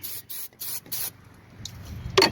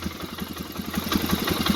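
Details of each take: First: Polaris Sportsman 500 HO ATV with 661 hours, choke on, full tank, starting fluid sprayed in: short hisses, then a steady whirring crank with no attempt to fire; crank no start from a spark problem. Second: Polaris Sportsman 500 HO ATV with crank-no-start, fixed by crimping a faulty ignition wire connector: quick, even putter catching and settling into a steady idle; fired right up and charges battery.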